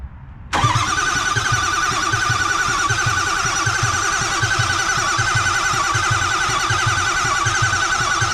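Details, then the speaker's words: Ford 6.0 Powerstroke diesel, first start after a six-month rebuild: quick crank and catch, then steady, even idle with regular low thump, no misses, knocks or squeals; healthy normal idle. "I'll tell you right now, it sounds healthy. Oh shit, she's alive, boys."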